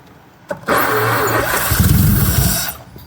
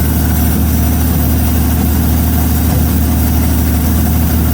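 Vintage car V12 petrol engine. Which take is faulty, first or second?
second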